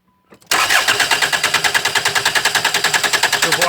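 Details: Hyundai Tucson 2007/2008, 2.0 L diesel, P0340 cam position sensor circuit code: steady starter cranking, about three beats a second, never catches; crankshaft position sensor failing when hot gives no engine speed signal, crank no start.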